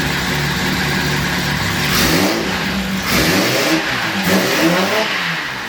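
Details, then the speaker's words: 2010 Camaro with turbo Vortec 4200 engine, very first start, run briefly with no coolant: crisp revs climb and drop cleanly over a steady idle, no knocks, ticks or misses; sounds good. "all right no coolant don't want to run it too long that sounds good"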